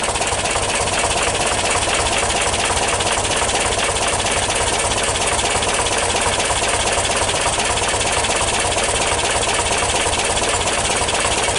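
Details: 1977 VW T2 camper, air-cooled engine, after a cold start following two weeks unused. Steady, even idle with a busy air-cooled clatter and no uneven beats; sounds healthy and settled.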